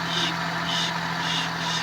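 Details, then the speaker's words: Suzuki Palette wagon: rhythmic hissy scrape about every half second over low engine hum, rusty brake rotor rubbing; cleaning the caliper and rotor stopped it. "Ah ito kasi sumasayad na ong may kalawang yan. Kumakayas na yan. Yan yung maingay."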